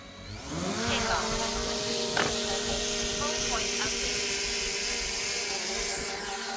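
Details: Brand-new DJI Mavic Mini 4 Pro on its first flight, replacing a Mini 2; motors spool up quickly to a smooth, steady buzzing hover with even pitch and no roughness, and the drone sounds healthy.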